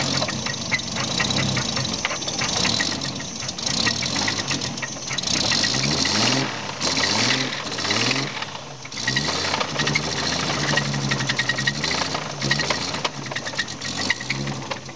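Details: Toyota 7M-GTE six-cylinder, a rebuilt engine bought without machine shop receipts, revving up and down with a loose, clattering knock riding over it; owner calls it rod knock, not confirmed.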